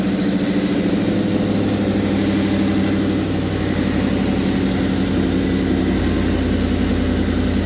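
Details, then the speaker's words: 2007-2009 Ford GT500 supercharged, first start after low vacuum bypass valve install, supercharger removed and refitted; steady fast idle, no dip or hunt, idle still set high from earlier stalling; checking leaks. "The fuel or the idle is gonna be high because it's still set for high idle from when it wouldn't idle down without dying."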